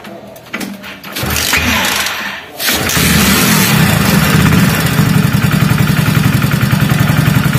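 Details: Hero HF Deluxe BS6 motorcycle that stalled and wouldn't start, fuel pump not running; start after recharging the discharged battery and checking the pump and injector supply: the starter spins briefly, the engine catches near three seconds and settles to a steady, even idle.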